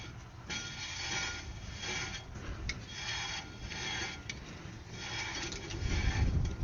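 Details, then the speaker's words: Electric drum brake on a 2022 Coachmen Freedom Express travel trailer after adjusting the shoes, wheel turned by hand: light scraping rub about once a second, slight drag expected to wear in; properly adjusted. "So, I don't hear any clicking now. Okay, that's three. Here we got just a tiny little bit of drag in there."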